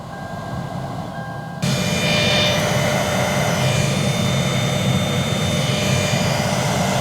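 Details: Car AC blower motor, previously not working, reinstalled and powered with key on: fan comes on abruptly, steady whooshing rush with faint even hum, no scraping or rattle; running normally.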